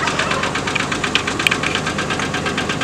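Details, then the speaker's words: Red truck idling in neutral (won't go into park); steady idle with quick, fairly even tapping, about three knocks per second — engine knock, cause not found; owner thinks the engine needs replacing. "i need to change or get my engine replaced"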